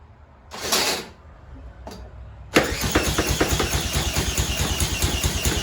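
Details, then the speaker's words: Tecumseh H35 engine on Sears mini bike, "ran when parked," after reassembly, spun with a drill: short burst of uneven firing pops that die away; catches briefly but won't keep running. "Not good, but it fired."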